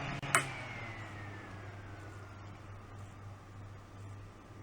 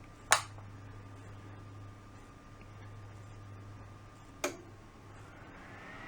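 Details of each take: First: Fan powered by a Back-UPS 450 in battery mode with stepped-sine output: a click, then a low hum as the fan's whirr drops in pitch and it nearly stops, while a Kill A Watt still reads 116.7 V. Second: Fan on a UPS output, AC power switched back on: a click, then the airflow hiss swells as the blades, barely spinning on battery, speed up to an even rush. Normal full-speed fan running.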